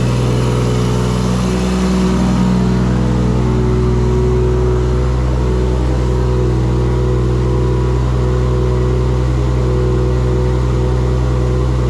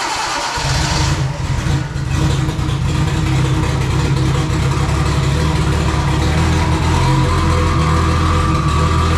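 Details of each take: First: Engine's first start in a shop build using an LS alternator kit; strong, deep, even exhaust note rising cleanly when revved, no misses or knocks. Earlier firing faults (gas pedal, swapped crank sensor signal) fixed; charging voltage runs too high. Normal running and revving. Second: First startup of a freshly built engine with the trigger offset set 360 degrees off: long crank, stumbling catch, then uneven loud running that won't settle; wrong ignition trigger offset causing flooding.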